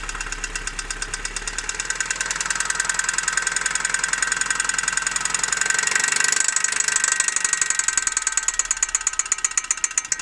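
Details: Opel Zafira A OPC at idle: steady idle with a fast, light ticking about three to four times a second riding over the engine; source of the tick unknown.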